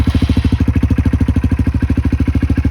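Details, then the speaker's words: 2024 Honda CRF125F single-cylinder, cold start just after Pro Circuit T-6 exhaust install: steady even thump about ten beats a second, deep exhaust note; normal cold idle. "Let's give it a cold start. Make sure it's in, I'm pretty sure it's in neutral."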